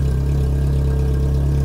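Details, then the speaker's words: 2000 VW Golf Cabriolet being serviced, distributor cap suspected of causing a misfire: low idle with a sharp puffing beat on each exhaust pulse from an exhaust leak where the cat was cut out and a non-VW pipe fitted. "somebody obviously caught the cat out of this car in the past and that is not a Volkswagen carpet to come back into it and that's certainly where a leak is coming from anyway so wonderful"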